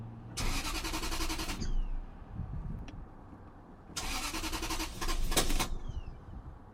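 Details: 1997 Lexus LS400: two bursts of steady starter cranking, about a second each, but the engine never catches or fires; a crank-but-no-start condition.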